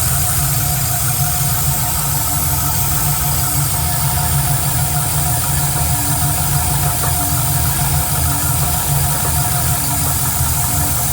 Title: Knocking Noise?